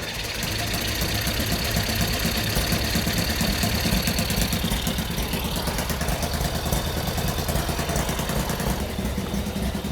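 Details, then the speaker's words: Mini NASCAR go-kart small engine after draining water from fuel and carb, now running: rough, very loud, raspy spitting exhaust from a hole in the exhaust; carb also dirty. "Uh there's a bunch more issues going on with it. It's got hole in the exhaust that y'all saw."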